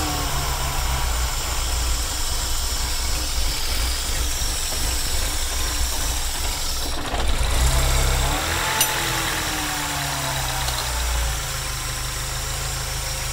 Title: Dual Catch Can Rough Idle